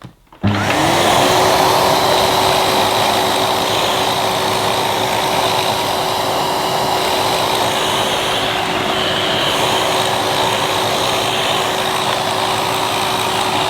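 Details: 2005 Numatic Edward Turbo vacuum, turbo electric head after cleaning and reassembly to cure intermittent cut-out: spins up fast to steady whoosh with constant motor hum, never dropping out; fixed for now.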